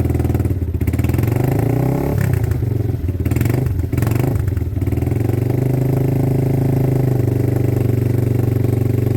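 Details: Weathered motorcycle from Wales on its stand, warmed up a minute with clutch and side-stand switches disengaged: steady idle, a few crisp blips up and down, clean even return to idle, no knocks; healthy.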